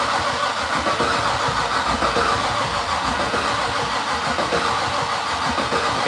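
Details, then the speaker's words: Fatsun (Datsun), first start attempt in 3 years: steady starter churning for several seconds, no firing or catch; crank no-start, no spark. "let's pull the spark plug and let's actually watch the spark plug you're spark I know I just want to see I want to see it not sparking so that we can go from there"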